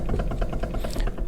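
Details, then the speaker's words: Dodge Dakota R/T pickup, clunking and chattering from steering column near the feet; sharp dry clicking about ten times a second as the wheel is worked, from play in a worn intermediate steering shaft joint; worn steering intermediate shaft joint. "it's a slop or play in the actual steering column itself so if you can hear this that clicking is coming from the intermediate shaft"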